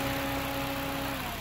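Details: 2006 UK Honda Jazz idling after repair: steady, even idle with a faint constant belt-area hum and no knocks or squeal; the AC compressor pulley bearing was replaced and a new belt fitted.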